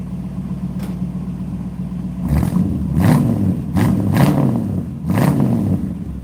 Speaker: Let me just rev it a couple times here. Nothing too crazy because we warmed it up properly.